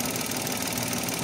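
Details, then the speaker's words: Mitsubishi Mirage hatchback, idling after a quick fix: a faint buzzy rattle returns, quieter than before, from a loose plastic airbox or engine cover housing; the owner suspects worn engine support because of heavy shaking. "Ayan bumabalik pero hindi ganon kalakas."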